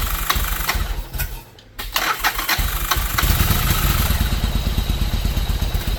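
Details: 1995 Yamaha Virago 1100 V-twin after 12 years unused, with carbs cleaned and spray put in the intake. After a few cranking bursts it catches and settles into a lumpy, loping idle with a steady low thump; running again.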